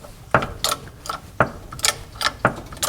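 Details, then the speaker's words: MGB-GT with Costello front suspension: irregular clunks and creaks about once a second as the suspension is jacked and lowered; shock absorber rubber rubs against a mounting bracket bolt until raised high enough, stretching the rubber. "how that rubs against it? And when the suspension is high enough up, then it won't touch anymore, and then you have free play."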